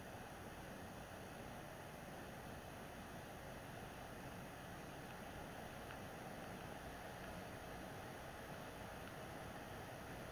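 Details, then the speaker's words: PS4 Pro, first-gen 7015B with copper shim and new pads on south bridge and HDMI-area chip vs dust-cleaned third-gen 7215B; during regular gameplay after a taxing cutscene, fan noise drops a lot; faint steady airy hiss, no roar or rattle: normal quiet fan. "once you do the regular game play on this game the The Fan noise goes down a lot so that's really the only part where it's very taxing"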